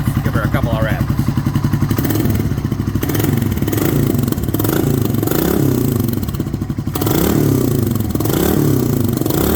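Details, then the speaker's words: 1997 Suzuki 650 Savage single after the timing chain tensioner was modified: crisp, even throttle blips with no ticking or clatter from the top end. Normal revving. "nice one nice and quiet [Laughter] all right well that's a huge relief that's sounding much better"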